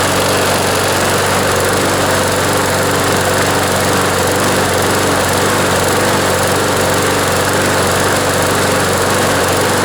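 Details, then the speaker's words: John Deere JS26 push mower, Briggs & Stratton engine, after its blade hit something hard, running after repair and reassembly: steady, even drone with no misses or surging, improved, but still vibrating a lot; bent shaft suspected. "that's an improvement anyways still feels like it's vibrating a lot i think they probably bent the shaft but i think the mower is usable uh in this condition"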